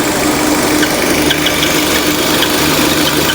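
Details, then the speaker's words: Peugeot/Citroën 2.0 EW10 engine at steady idle with a faint high whistling hiss over the engine; punctured PCV diaphragm noise. "esse barulho então motor 2.0 da ps a motor ew10 ar bem conhecido Esse barulho tá esse barulho Quero mostrar para vocês muito simples tá esse barulho aqui já deu muita dor de cabeça e oficina"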